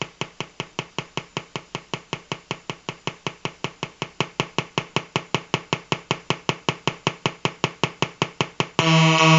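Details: Colour-changing LED bulb on 4.5–6 V DC batteries: sharp, even ticks about 2.5 per second turning into a steady buzz; interference noise from the bulb's colour-cycling driver.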